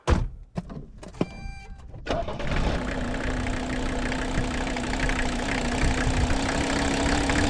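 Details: 1981 Mercedes-Benz 300 SD, OM617 5-cylinder mechanical turbo diesel, revived after sitting 5-10 years with replaced fuel lines: clicks and short crank whir, then catches into a steady, even idle with no misses.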